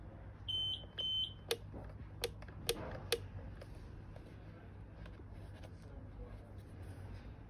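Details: Pride Go Go Elite mobility scooter: battery indicator LED shows half charged, but on trying to ride it won't move; two short high beeps, then sharp clicks over room hum, scooter stays still — fault beeping, no drive.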